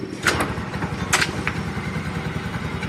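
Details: TVS Ntorq BS-4 scooter after the faulty one-way part was replaced and the engine was refitted and cleaned to cure an odd engine noise: it fires up and settles into a steady, even putter with no knock or grind. A healthy start and idle.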